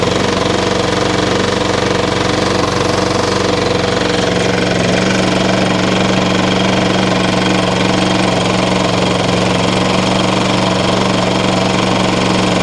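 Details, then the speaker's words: Briggs & Stratton single-cylinder lawn mower engine after a valve adjustment: uneven knocking beat about three per second, running rough and tired; the motor is worn out, not a valve adjustment fault. "The motor in this thing is roached."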